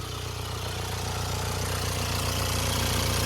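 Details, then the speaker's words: Jaguar XE, after a broken ground strap caused no-crank/no-start: steady idle with a fast, even metallic rattle over the engine note, a timing chain rattle. "There is a time rattling in it, but it's not that's not our problem today."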